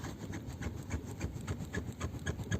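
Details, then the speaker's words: Lada Kalina hatchback: rhythmic dry creaks, about three a second, from a rear seat backrest rocking on its mounts, creaking over rough roads, one source of noise near the boot. "Итак еще одним источником скрипа в районе багажника у Калины будут спинки сидений когда машина укачивает Когда вы едете по неровным дорогам они начинают также скрипеть"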